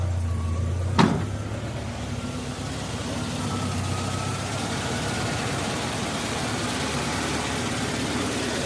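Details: Suzuki X90 right after start-up following an oil change and coolant top-up: faint thin squeak wavering above idle and drifting in pitch, pointing to a slipping, squeaky drive belt; engine otherwise running well.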